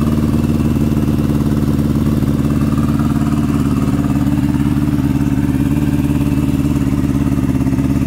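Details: 2003 R1 with a home-built turbo (TD04L-13T) and modified injectors, first startup: lumpy, uneven idle with a loping three-cylinder beat; one cylinder dead from a non-firing injector.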